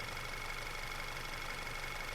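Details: 2010 Audi A5 2.0 TFSI petrol (CDNB), which had rough idle, smoke and power loss, idling smoothly and evenly with no timing chain rattle or knocking.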